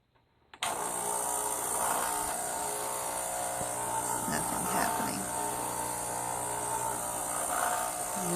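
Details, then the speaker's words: Starbucks Sirena (Saeco) espresso machine, top cover off: after a click the pump gives a steady buzzing hum with no gurgle or load change, yet no water comes out; pump runs but won't prime, unit also not heating (owner suspects pump or thermostat). "problem i'm having is i can't get the water to prime at all even though it sounds like it's going on"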